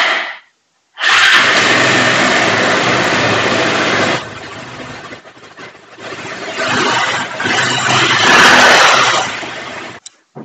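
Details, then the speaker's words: Bajaj Pulsar 180 BS4 with long-cranking starting problem, after wiring and CDI checks: fires on first self-start press, settles to steady idle, takes throttle blip without stalling or missing. "अब car आसानी से शुरू करना . एक shelf पर शुरू करना और कोई भी लापता नहीं, आइडल।"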